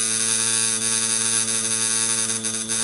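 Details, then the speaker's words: Coil tattoo machine running a larger needle on practice skin: steady buzzing hum with bright edge dipping slightly in pitch as the needle meets skin resistance; normal slowing under load. "and here i'm getting the the resistance of the skin and you can hear my machine blogging"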